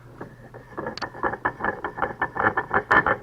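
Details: Sabre 2000 CNC Y-axis ballscrew drive, odd clang/grind heard for about a year, servo turned on the bench: rapid rough clunks, several per second, growing louder with rotation; internal knocking, cause not yet confirmed.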